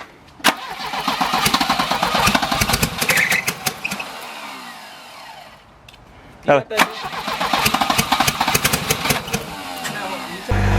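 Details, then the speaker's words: Volvo that won't start, with spark confirmed and suspected flooding: starter churns in two long bursts at about four beats a second but the engine never fires. Afterwards every spark plug is found soaked in fuel again; crank no start. "all right guys so we pulled all the spark plugs back out and every single one that was soaked in fuel again"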